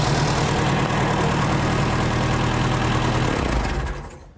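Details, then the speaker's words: 1975 VW Shorty bus (wheelie machine), neglected and sitting over 20 years, now revived: even, steady air-cooled idle with a smooth low beat, then switched off and runs down cleanly; healthy engine. "We weren't really sure how long this old girl's been sitting, but we finally got her up and running. She seems to be purring like a kitten."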